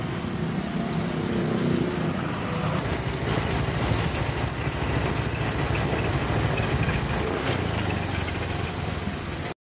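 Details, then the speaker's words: Honda Scoopy scooter after repair (previously stumbled when cold, hard to idle, weak): steady, even idle with no misses; starts immediately and runs clean. "Oke, mesin sudah langsung tokcer dengan sempurna tanpa ada kendala."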